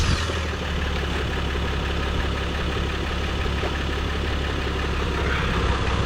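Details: 2023 Jeep Gladiator Rubicon EcoDiesel idling after fuel filter replacement and priming: a steady low diesel rumble with even clatter and no misses, stumbles or surging; it idles smoothly and sounds healthy.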